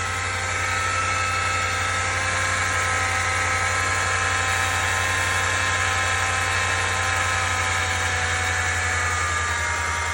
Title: 2020 RAM 1500 75K Miles MGU Whine/NOISE